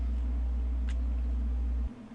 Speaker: Now, you hear that hum in the background? That actually is a 60 cycle hum or 60 hertz or 60 frequency.